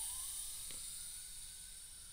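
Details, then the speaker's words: Crude centrifugal reciprocating air compressor with 2-inch PVC cylinder and machined PVC piston with O-rings, hand-pumped via control arm: short quiet high hiss fading over about two seconds as the small stored air bleeds from the tank. "you can probably hear the the hissing noise so that's the air that's been compressed in there"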